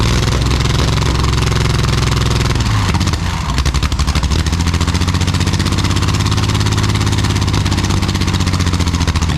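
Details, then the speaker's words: Jaguar D-Type with homemade exhaust, recording without the built-in silencers: very loud deep rumble with sharp crackle through revs; the silencers later remove the cracking and smooth it, though it stays very loud. "I think it makes a hell of a difference it's still very loud it just takes that cracking sound out of the engine making it a little bit smoother"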